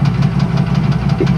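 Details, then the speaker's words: 1994 Chevrolet Astro van, idling: steady idle with regular knock about six a second under exhaust note, internal. Owner thinks balance shaft has come loose or bearings are failing, unconfirmed. "it's got a clunking noise I think the uh balance shaft has come loose or the bearings are going bad or something but it does clunk clunk clunk"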